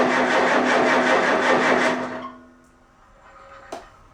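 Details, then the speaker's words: Farmall A tractor, newly installed engine, cold start: regular cranking at about three beats a second for two seconds, then stops without catching. Hard start; owner suspects a carburetor problem, not confirmed. "ggle ggle I do believe we had a carburetor issue give her a little bit of start food make me a freaking liar"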